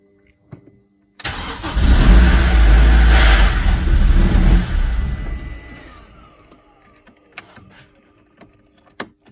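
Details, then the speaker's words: BMW E46 Compact with N42/N46 engine, crank-no-start with codes P27C1, P2781, P2782: brief crank then catches and runs strongly, idling smooth; normal start after retiming engine that skipped timing from under-torqued crank bolt. "now we got compression so it's a lot better the car idle smooth it drives okay and I think it sold the issue"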